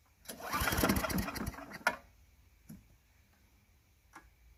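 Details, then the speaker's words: Craftsman Eager 1 4hp chipper vac (987.799790), first start on a little fresh gas, carb possibly needing cleaning: rough burst about 1.5 seconds then weak puffs; owner primes more. Engine starting then stalling. "See if we can prime it a little bit. Prime it some more. See, because it's stalling."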